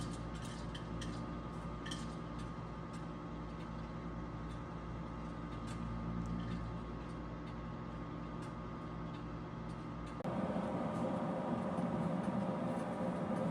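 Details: Harman P61C pellet stove, owned three years, used as sole home heat; steady low fan hum with faint, uneven little ticks over it at an even level throughout. Normal running.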